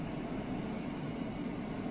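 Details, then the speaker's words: Midea HC-689WEN side-by-side refrigerator-freezer about an hour after first startup, once the earlier high-pitched fan whine had gone: only a soft, steady rush of air with a low even hum, quiet and normal. "If it stays like this, it's perfect. You can barely hear it, you just hear the air moving."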